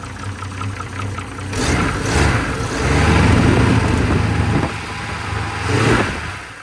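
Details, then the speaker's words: 1970s Holden HZ ute, engine revived after about 20 years sitting, timing adjusted: light regular tapping over idle, not rising with revs; internal knock, owner suspects a lifter, harmonic balancer doubted, bottom end uncertain, not confirmed. "It doesn't rev up with the car though, so I'm a bit lost if it's a lifter or a... I'm sure it's not a bottom end noise."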